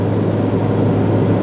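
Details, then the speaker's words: 2017 GMC Sierra 3500HD L5P Duramax, forced DPF service regeneration after repairing the #5 injector pigtail misfire: steady raised-idle drone, no knocks or surging, as it revs up. Soot load falls from 80% to 19%; normal regen. "as you can see she is revving up just wanted to come back and let y'all hear how this thing does a regen well a service regen normally a regular regen you don't even notice it cuz it usually does it riding down the road"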